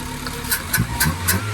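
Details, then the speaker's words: VW Polo 6N, cold start after repair for rough running with intake air flap port blocked off: steady low idle with light even ticking, a bit noisy because cold, but running evenly and healthy. "Perfect. Perfect. Little bit noisy. I was just going to say a little bit noisy and chicken cuz it's cold, but perfect."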